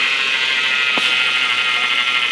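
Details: Chevy Avalanche: loud steady high whine over the running engine, starting at idle and rising with rpm, worse when turning the steering wheel and braking; owner unsure whether alternator, AC compressor or power steering pump.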